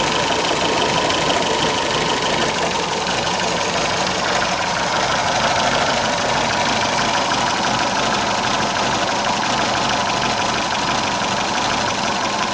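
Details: MG engine at idle: steady idle with uneven stumbling beat and irregular knocks breaking the rhythm, a cylinder misfiring.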